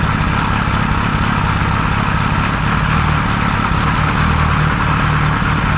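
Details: 1978 Kawasaki Z1-R four-cylinder on the stand, first start after carbs installed, idle raised, no enricher: steady low idle with a lumpy, uneven beat; synchronizer shows carbs 1 and 4 good, 2 and 3 out of sync, running weirdly.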